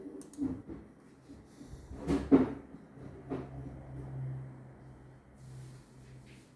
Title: Hiseeu camera problem with strange noise